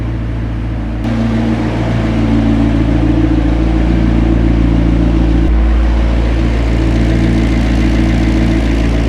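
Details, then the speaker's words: McLaren V8 idling before reaching oil temperature while a fault scan shows 11 engine faults, including misfires and crankshaft speed fluctuation: steady, even low rumble with no misses, knocks or ticks; idles smoothly and sounds normal. "Sounds great though, it sounds normal."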